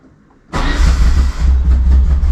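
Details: Peugeot 205 GTI, first start of the fully rebuilt engine after ignition and power checks (tachometric relay found dead). Quiet, then it catches abruptly and settles into a deep, steady rumble with slight revving; normal start.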